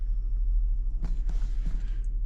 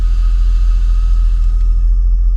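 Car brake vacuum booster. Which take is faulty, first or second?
second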